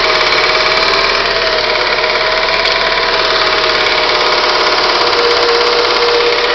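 Loud, busy engine running at a steady speed with an irregular knocking underneath; something inside is knocking, cause not yet pinned down.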